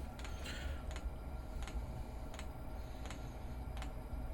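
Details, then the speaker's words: Chinese diesel heater in a garage, dosing pump started during glow-plug warm-up, at setting three: sharp, even ticks about every 0.7 seconds over a low rumble; normal fuel pump clicking. "right fuel pump has started making a little clicky noise"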